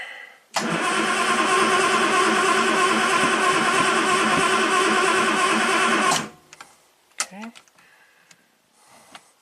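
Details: 1967 Triumph GT6 parked since 1999, choke on, battery charger at 13.5 V: steady rapid cranking for about five seconds with no firing; engine turns over but won't start, before starting fluid.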